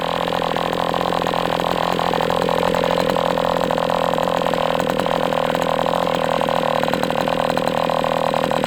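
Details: MDS 68 FS Pro model engine on a break-in run, heavy exhaust smoke: high steady buzz at constant speed, no sag or surge, running rich. Healthy, better than with the idle bar plug, after carb tuning.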